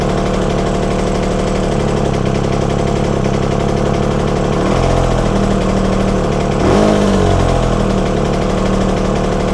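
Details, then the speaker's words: Yamaha TZR 250 3XV two-stroke twin run on one cylinder during carb balancing: steady slightly lumpy idle that swells and picks up cleanly after air screw adjustment, backed off half a turn from stalling. "so I'm going to start the bike on one cylinder now try and start the bike on one cylinder now"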